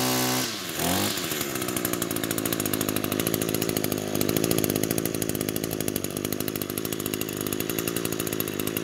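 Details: Echo grass trimmer after repair of bogging: after a quick pull settles into smooth, even high-speed buzz with no bogging or surging; runs like new.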